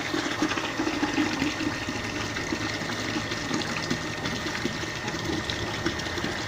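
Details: Peripheral water pump drawing from a dug well, powered by homemade 24 V inverter with homemade solar panels and charge controller: steady rush of flowing water over constant faint hum, no knocks or surging; normal pump run.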